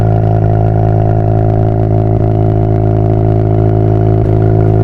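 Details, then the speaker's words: Mazda FC RX-7 rotary after a turbo downgrade to an S5 turbo running about 0.5 bar boost, no leaks or smoke: smooth, even rotary burble with a steady deep drone and no misses; owner says it never ran better. "This thing runs so good. It literally never ran any better than this."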